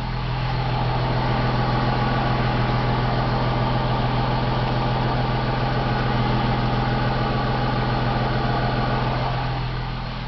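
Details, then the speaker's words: 2003 Ford Mustang V6 at idle after welded driver-side exhaust manifold: light regular tick about three to four per second, seemingly passenger side near firewall, diesel-like; could be another exhaust leak or engine tick, undetermined. "it sounds like it's coming from the passenger side closest to the firewall seems to be like a lapping like a that as a as the engines running it kind of every time that certain spot goes around makes that noise"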